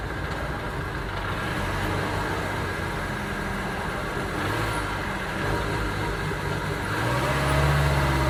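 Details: 2009 Ford Transit Sport diesel van with an uneven, lumpy idle and a recurring stumble that carries into a brief rev; engine misfire, cause not pinned down.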